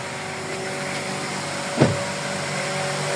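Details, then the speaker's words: Honda Brio radiator cooling fan running at full speed with the AC on, after its motor carbon brushes were cleaned to cure overheating: even motor hum, steady mid-pitched tone, strong airflow rush, one brief thump; AC cold, normal operation. "Dan sudah terdengar bunyi kipasnya teman-teman. AC-nya juga dingin."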